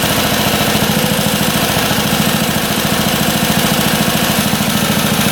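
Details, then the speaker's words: Long-unused auction motorcycle with idle screw adjusted: steady, even putter at a relaxed idle, firing regular with no misses, knocks or rattles; healthy idle. "Running great. I can't believe how good that runs. Idling perfectly."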